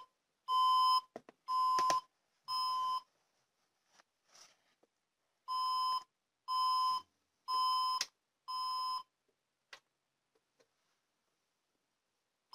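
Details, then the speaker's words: HP Compaq dc7800 ultra slim PC on a 90 W HP power adapter: groups of four sharp beeps with four red flashes, repeating after pauses, indicating insufficient power supply; boots fine on a 200 W adapter. "So, it doesn't work. It beeps four times and flashes four times."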